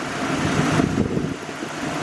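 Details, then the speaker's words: Nissan 240SX S13 single-cam, mostly stock with aftermarket intake, at idle: uneven, lumpy idle with stumbling low beat; fairly large misfire. "um but yeah it has a pretty decent size misfire"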